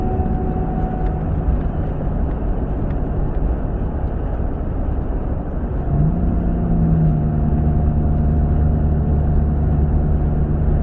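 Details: 2012 Chevy Tahoe: a steady whine over the engine noise rises in pitch and grows louder as the vehicle accelerates; cause unknown.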